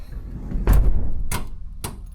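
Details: 2014-2025 Ram ProMaster after door lock connector work: a door thump, then two crisp lock clunks about half a second apart; the lock actuator cycles normally, and the side door locks only when all doors are shut.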